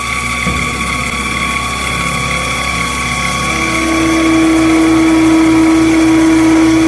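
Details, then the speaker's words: Returned 2-speed 7x14 mini lathe with original stock motor, cutting at high speed: loud harsh whine with rough rapid chatter under the cut, pitch rising as the motor spins up; motor is noisy and weak at low speed. "I have to say, that was pretty impressive, but it was a really high speed. It doesn't perform well at low speeds."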